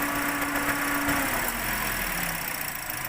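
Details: Toyota Vios 1NR engine with code P1605, rough idle and jerking: uneven lumpy idle with a dropping tone underneath; cylinder misfire.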